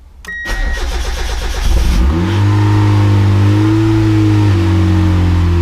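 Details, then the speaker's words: Boosted Miata after refitting a used VVT gear and the belt: short crank, prompt catch and a brief rev, then a steady even idle with no misses; timing seems fine, not yet warmed up. "Sounds good. Idling good. So I think my timing's fine."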